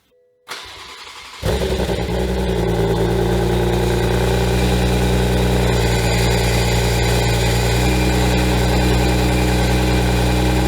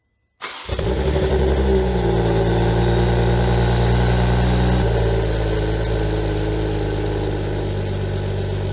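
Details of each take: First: Rebuilt wrecked 2021 Toyota GR Supra at first start in sport mode with aFe cat-back, catless downpipe and stage 2 tune: a steady metallic screech and grinding over the idle, quieter after the starter was given more space, so the starter is suspected of rubbing the flex plate. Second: 2021 Toyota GR Supra rebuilt after a wreck: after grinding a little of the teeth away as a test, the engine cranks and catches cleanly to a steady deep idle with no metallic grind, confirming the starter hitting the flex plate; starter suspected not retracting.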